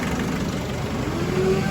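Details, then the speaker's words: 2007 Nissan X-Trail diesel after timing chain replacement for hard starting, EGR valve refitted, no fault codes: low steady hum with an even beat and no rattle or clatter; smooth, normal idle. "ldr valve back together again connected up and engine back running and sounding nicer than it did yesterday before we done the"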